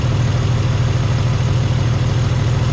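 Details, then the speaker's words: Chevy S10 Blazer carbureted engine idling after new spark plugs and wires, carb cleaned, fuel system cleaner added, timing being checked: low, even idle pulse, no misfires, knocks or ticks; running much better, possibly plugs and wires were the issue. "It might have been just the dang on spark plugs and the wires and all that kind of stuff, because it seems to be running so much better. A lot better."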